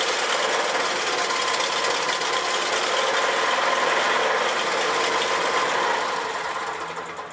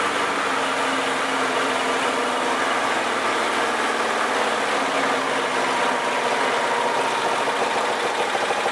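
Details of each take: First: Old 4 HP Briggs & Stratton lawnmower engine at full throttle: RPM lopes up and down, the note wavering instead of holding steady; owner suspects a mid-range carburetor jet plugged with old gasoline varnish; idles fine; engine surging. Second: Old 4 HP Briggs & Stratton lawnmower engine after carburetor cleaning and reinstall (it had loped at full throttle, suspected plugged mid-circuit); low, steady, even idle with no surging or stumbling, running good now.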